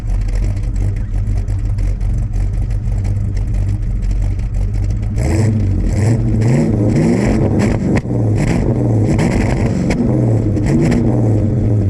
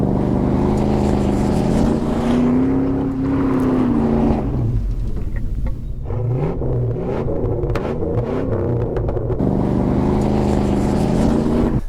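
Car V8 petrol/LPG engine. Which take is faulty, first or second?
first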